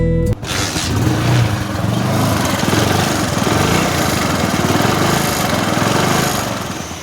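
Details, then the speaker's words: Hero HF Deluxe motorcycle at idle after starting, heard from the timing chain side: a fast, light rattling clatter over the beat; on opening the engine, the small roller was found to have come out of the timing chain, causing the noise. "और अब ध्यान से देखेंगे तो देखिए ये जो roller है, छोटा रोलर, ये आ गया है टाइमिंग चेन के बाहर, आउट हो चुका है ये। तो इसकी वजह से वो आवाज़ बन रही थी।"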